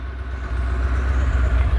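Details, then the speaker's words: Porsche 928 after replacing the main fuel pump with a new one; deep steady exhaust rumble with no pump whine, quiet pump, decent even idle and revs up properly, drivability much improved though still slow. "but yeah we got a nice quiet fuel pump back here now and a decent idle it actually does rev up like it's supposed to which is great"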